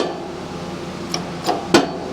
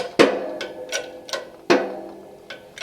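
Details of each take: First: Shop press after boxing C channels and adding steel plate above jack, hand-pumped while pressing oiled pin into motorcycle crankshaft: quiet background with three sharp separate pops at start, then tightening evenly without old heavy jumping; big improvement. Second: Modified shop hydraulic press with added bracing, pumped by hand while pressing a motorcycle crankshaft together: sharp irregular pops at the start of each stroke, getting more frequent as the fit tightens; popping under load.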